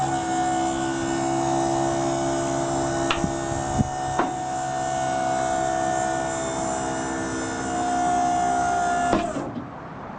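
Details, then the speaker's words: Maxon GPT4 4000 lb tuck-away truck liftgate raising: steady electric pump whine at constant pitch, hydraulics straining slightly near the top, then cutting off cleanly when the switch is released; normal operation. "When you're getting all the way to the top, you're going to hear the hydraulics straining a little bit. As soon as you get to that point, stop with the switch."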